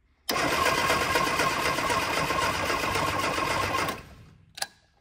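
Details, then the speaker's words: 1965 Innocenti S Spider, 1098 cc engine, sat for years: starter spins about three and a half seconds with even pulses, never fires; good spark confirmed, no fuel reaching the carburetors yet. "so you can see we do have a good spark now now if we get fuel to it this engine might run"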